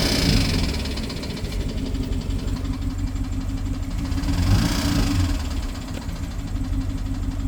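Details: BMW 750Li N63 V8 at idle after fuel injectors and high-pressure fuel pump were replaced: rough uneven idle, light fast ticking, occasional stumble; misfire and tick, owner suspects timing chain, unconfirmed.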